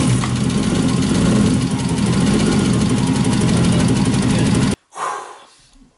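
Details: BMW E36 with M52B28 engine after head gasket replacement and engine timing with a timing kit: engine catches and settles into a steady, even idle with a smooth beat for several seconds before cutting off; runs healthy, correctly timed.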